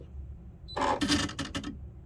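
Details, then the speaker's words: Baby Lock Presto II sewing machine, new, at switch-on: about a second of whirring rattle with quick clicks as the mechanism resets; sounds broken but is normal. "it sounds kind of strange. I mean, if I didn't already know, it kind of sounds like it's broken. But I'm assuming this is very normal."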